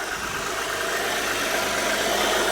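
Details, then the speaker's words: 1997 Audi 2.8 V6, 145,000 miles, just after temperature sensor replacement for a dead temperature gauge; smooth, even hiss and hum at idle, no knocks, ticks or stumbles; normal idle. "listen how good she sounds yeah 2.8 little V6 motor"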